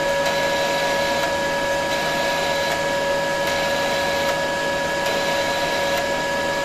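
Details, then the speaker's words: Kaiser 310 Pro MIG welder during modification, set around 17.8; constant high motor hum with light regular roller clicking, speed steady, wire feed working normally. "так ну працює працює Тобто це не магнітні бурі"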